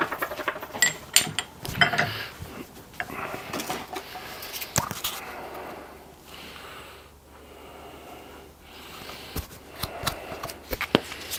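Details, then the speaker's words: Hand lapping a normally-closed valve's seat with slightly coarser paste: gritty, uneven back-and-forth scraping in short bursts as the seat beds in to an even matte finish. "Nice matte seat all the way around. A little bit more. Try some slightly coarser paste."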